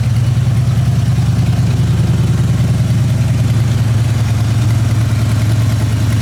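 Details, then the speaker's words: Old truck started after sitting for months: a deep, lumpy, shaking idle with a loping beat. One cylinder appears dead, possibly the rear one; engine replacement is being considered. "i didn't even touch the throttle it just started oh yeah she's shaking"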